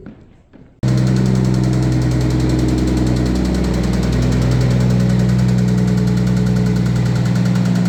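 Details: Red 1990 Toyota Supra turbo manual being parted out: engine catches and settles into a rough idle with a dull, uneven knock about three times a second; owner pretty sure it's a rod knock, possibly a valve problem.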